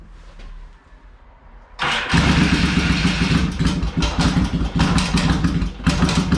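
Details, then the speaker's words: Yamaha XS650 rephased twin hot rod bike, previously stuck clutches freed; starts and settles into uneven lumpy throb with throttle blips; healthy normal running. "if you're wondering what an xs650 rephase motor sounds like i'll do it one more time here"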